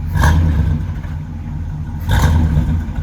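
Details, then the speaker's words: 1964 Ford F100 with 292 Y-block V8, rebuilt carb and factory cast iron manifolds, after cold start: deep even low rumble from dual exhaust at the rear with two brief throttle blips, healthy. "got a nice little low rumble just be a real nice enjoyable truck to go back and forth to home depot for your home projects"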